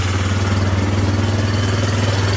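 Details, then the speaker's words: Yamaha Bear Tracker 250 (YTM250) ATV single-cylinder idling after a new carburetor and intake, owner thinks it's charging, no smoke; even, steady thump with no misses, hunting or knocks, a normal healthy idle. "wow even going to idle got to love that"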